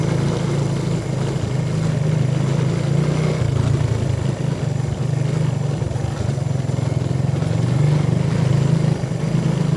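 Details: 125cc single motorbike that kept stalling and would not restart for half an hour to an hour, ridden around a courtyard after repair and reassembly: steady, even low thrum with a smooth beat, running clean and healthy.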